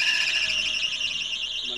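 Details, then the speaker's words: Car just started in neutral during a driving lesson: steady high-pitched squeal over the engine, from a new fan belt. "এটা fan বেল্টের একটা আওয়াজ, নতুন fan বেল্টের কারণে এই আওয়াজটা হচ্ছে।"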